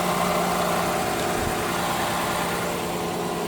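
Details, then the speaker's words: Chevrolet Silverado 1500 after fuel pump replacement, primed over several ignition cycles and cranks: smooth steady idle, even low hum, no knocks, ticks or hesitation; running normally. "Alright, we'll take a few extra cranks, a few ignition cycles to finally prime it, but we got it primed. Vehicle is running."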